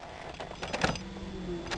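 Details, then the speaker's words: 1982 Ford Granada at key-on, engine not started, while testing a wiring fix to restore the fuel pump, old gas still in the tank: a quiet, steady low pump hum with no whine or rattle, amid handling clicks; normal fuel pump operation. "I'll get some fresh gas hopefully she'll hum yep I heard it let me close the door here hopefully you'll be able to hear it"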